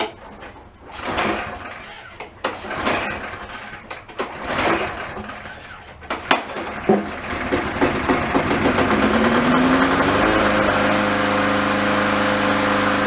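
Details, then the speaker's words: Push mower that previously would not start, test run after troubleshooting: several sharp pull-starts, then it catches, revs up and settles into a steady, even run; running healthy. "let her down on the ground fire it up and make sure we're good"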